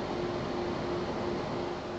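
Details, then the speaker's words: Two rear exhaust fans (G5 fans converted with Zalman 92mm motors) at full 12 V, about 3,000 RPM, mic about 10 cm away: loud, steady rushing air with a faint even hum and no rattle or grinding. Normal fan airflow noise. "they're running basically at about 3,000 RPM and as you can hear they're sticking out quite a lot of noise"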